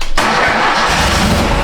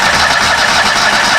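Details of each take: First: 2013 Steiner 440 air-cooled tractor, previously crank no-start with no fuel delivery, now catches quickly on first crank and settles into a steady, even idle with no misses or knocks. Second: 2013 Steiner 440 air-cooled tractor, earlier a no-crank from a bad ground. A steady starter whirr with no firing at all. Crank, no start from no fuel delivery.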